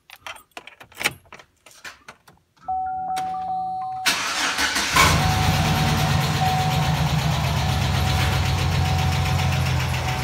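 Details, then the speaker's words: 2008 Chevrolet Silverado 4.3 L V6 cranks, starts and idles with a pronounced hydraulic lifter tick, worse after sitting, before an oil filter change fix. "go ahead and fire it up so you can hear it it's pretty good tick that it's got and then change it out"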